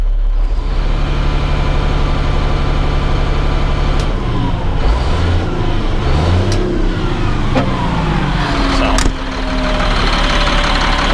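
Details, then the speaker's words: Caterpillar C7 diesel after reinstalling two bad injectors: deep, steady rumble with clean revs, no misses or knocks, running well; check engine light flashing from low coolant level and a coolant temperature sensor still needed. "but other than that there it's uh running pretty good"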